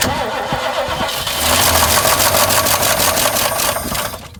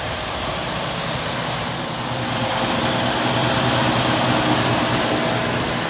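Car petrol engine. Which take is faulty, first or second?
first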